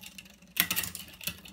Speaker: and you can actually see the chain is jumping up and down gears